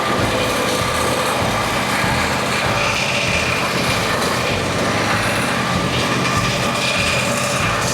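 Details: Twin after teardown and both head gaskets replaced: a steady, even run with no ticking or misses. It sounds healthy.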